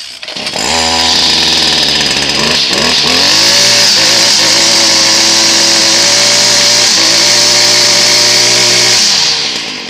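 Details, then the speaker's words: STIHL FS56RC two-stroke trimmer that had bogged down with low power, after its clogged spark arrester was cleaned, started on choke: it snaps up and holds a high, steady full-throttle scream with no bogging, back to full power. "all right that's more like it back to full power"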